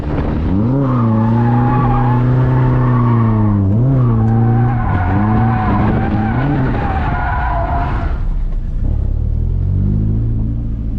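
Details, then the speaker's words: 240SX drift car, in-car, at full lock mid-drift: engine note wavers through squealing slide then suddenly drops away; consistent power cut at full lock, half a tank of fuel so not low on gas, cause unknown. "when i'm at full lock it does it i don't know what it is it's so weird consistently doing it yeah it's at half a tank like it's not too low on gas that's weird"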